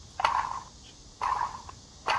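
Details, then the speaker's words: Old water pump off a 2008 Buick Lucerne 3.8L, pulley spun by hand: short gritty whirring rattle, spinning too freely versus a silent, tensioned new pump; worn bearing. "You're not supposed to be able to spin that freely and you hear the rattling."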